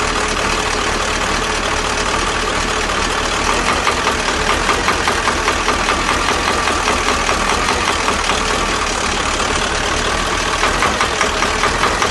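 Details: KamAZ diesel at steady idle with a dull knock about once a second over the clatter, from a worn injection pump plunger; fuel injection pump plunger knock.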